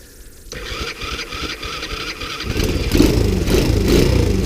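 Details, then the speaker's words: Sunl 110cc ATV, revived after being abandoned and seized, cold start with choke on after sitting out overnight at about 40 degrees; small single catches quickly and settles into a steady, even putter around four beats a second, some wind noise; normal cold start and idle. "is a cold start sat out overnight it's about 40 degrees so it might be just a touch frosty to get going"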